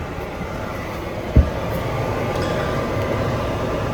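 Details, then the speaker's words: Coleman Sequoia popup camper furnace after replacing the faulty bunk safety switch, 12 V battery and propane on, thermostat on: soft thump then steady air rush as blower starts normally; previously the blower wouldn't run. "Blower just kicked on, and before, obviously, when this switch, the bad switch, was installed, it wasn't working."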